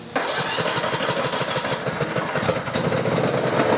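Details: Riding lawn mower 4-stroke engine, after a hydrolock from a gas-filled crankcase was fixed and a fuel shut-off valve fitted: fires at once into an even, quick single-cylinder beat. Healthy, no longer smoking.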